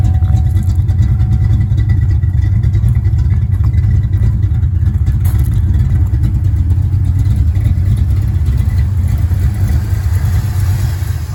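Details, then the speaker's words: Ford Mustang Fox body 5.0 V8, 5-speed, just after Explorer GT40 intake swap and top-end rebuild: steady, even low rumble with no misses or stumbles, running much better than before; normal idle. "He's running. Very fast throttle response. Running a whole lot better than it did."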